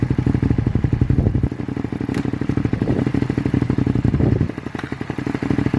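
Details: Abandoned 2001 Suzuki SV650S V-twin, just revived: ragged clattery idle hunting up and down instead of holding steady; runs rough, still needs work, cause not identified.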